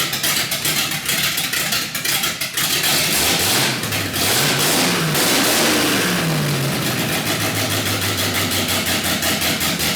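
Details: 318 V8 with raised compression (Keith Black 6cc domed pistons) and a Comp Cams cam, built for rough idle: starts, blips up and settles into a choppy, unevenly lumping loping idle; normal lopey cammed V8 idle.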